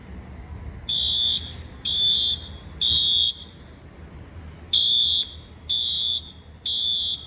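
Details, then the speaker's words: Sprinkler waterflow alarm test: shrill horn in two sets of three half-second blasts at steady pitch, a clean temporal pattern; normal alarm horn operation. "Oh, it's just been so long. This sounds like a 6160 alarm mode."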